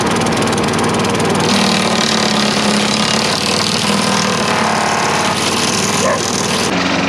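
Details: Craftsman 4.5 HP four-stroke carbureted yard vacuum after cleaning fuel-fouled spark plug, holds steady even buzz with no surging or dying; previously ran 5–10 seconds then died, now running properly.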